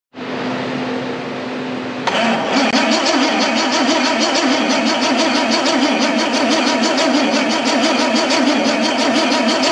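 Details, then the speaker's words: Bentley Turbo R V8 being set up on a Link Monsoon ECU: starter whirs, then steady cranking at about three beats a second that never catches; there is no spark on at least one cylinder, and timing at number one is to be checked. "have you got a spark on that one have you got a spark on this one i can't see it we definitely don't have spark on this one though"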